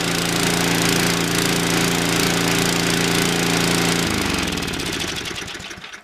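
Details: Toro 521 snowblower sat 10+ years, running on an aftermarket Amazon carburetor, throttle all the way up: steady, even high-rev single-cylinder drone, no misses or surging, winds down cleanly at shutoff; normal full-throttle running.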